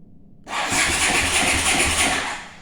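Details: Honda CX500 V-twin motorcycle, newly bought, start attempt on the starter button: starter whirs about two seconds with an even, chugging compression beat, but the engine never catches. Cranks but does not start.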